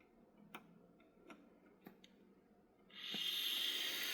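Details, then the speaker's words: Old computer graphics card (Quadro) fan at power-on: a few light clicks, then a harsh rough rushing hiss as the fan spins up; the fan bearings are worn out. "yeah those bearings are gone"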